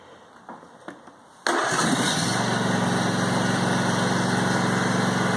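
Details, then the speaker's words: Brand-new John Deere E180 25hp lawn tractor (0.1 hours), first start on a little fresh gas with no choke and foot on the brake. The engine catches instantly and settles into a steady, even idle, a normal cold start. "And it fired right up. With these, as soon as you get off the seat, it turns off."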